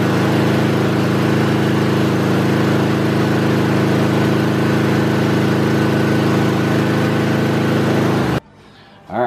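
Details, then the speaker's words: Kohler single-cylinder mower engine at wide open throttle during a stator AC voltage test: runs hard with a steady, even exhaust beat, no misses or knocks, then shuts off cleanly; stator reads 43 V AC, working. "then you're going to start the engine at wide open throttle and get a voltage reading should be somewhere around 30 and 50 volts give or take a few"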